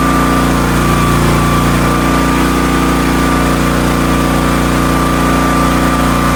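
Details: Hotsy steam pressure washer with 16 hp gas engine, bought non-running (missing carburetor), after fixing igniter wire/electrodes so burner fires: steady, even engine drone with constant high tone, no knocks or stumbles; water heating, runs normally.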